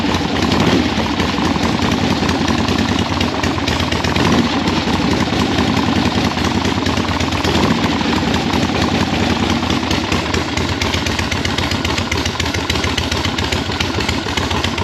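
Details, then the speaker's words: 1976 Harley-Davidson Liberty Edition Ironhead V-twin during rebuild, first start, air filter off, PB Blaster burning off heads: steady, even loping idle with deep exhaust beat holding without stumbling; normal idle. "no problem I'm just happy that it runs at a halfway idle"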